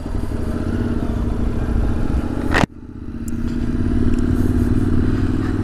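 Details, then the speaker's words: Motorcycle with about 3 litres of diesel mixed into its petrol, restarted after standing four hours: ragged, stumbling revs collapse almost to a stall then claw back; near-stall from diesel-contaminated fuel, runs better warm and under load. "whoops wait wait no don't die no no no stay alive stay stay with me stay with me come on"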